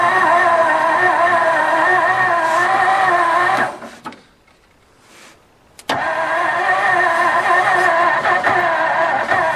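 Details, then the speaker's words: 1954 Ford Crestline Skyliner fed fuel from a bowl, first start attempt; starter drones slowly and laboured at about 3.5 turns a second; owner suspects weak battery; slow cranking. "Oh yeah! Think my battery's going down."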